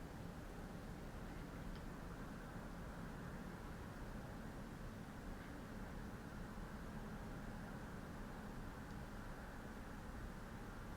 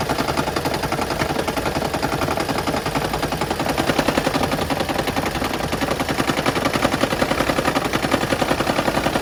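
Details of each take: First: 2013 Lexus CT200h petrol engine idling after spark plug replacement: steady, even low rumble, no rattle or knock; it previously rattled, especially in the morning, with a check engine light. Normal idle. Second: 2013 Lexus CT200h with check engine light: rapid, steady clatter on cold morning start, lasting until it returns to hybrid running; diagnosed as needing a tune-up, fixed by replacing worn spark plugs.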